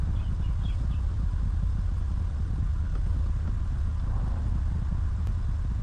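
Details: 2019 Ram 1500 that had a no-start with no power, now starting: quiet, low, even rumble with no knocks or misses; smooth normal idle.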